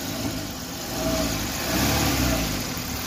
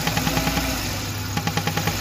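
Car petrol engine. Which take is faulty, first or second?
second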